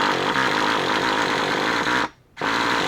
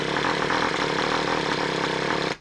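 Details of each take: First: Traxxas Revo 3.3 nitro engine after motor swap, break-in idle tanks: high, buzzing scream holding steady with brief cutouts and a pitch dip; running fine during break-in. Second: Freshly swapped Traxxas Revo 3.3 nitro engine on first start, primed by covering the exhaust. It buzzes about two seconds, then cuts out and won't keep running. Stubborn, hard starting; owner suspects it is flooded.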